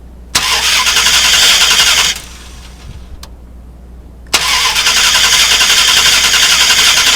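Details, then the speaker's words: 2000 Dodge Durango 5.9L V8, spark test with remote starter, key on: two long cranking bursts about four turns a second, no firing; crank no-start with very weak spark. "So we have a very weak spark. I don't think the camera even picked that up. That's a problem right there that we need to probably focus on."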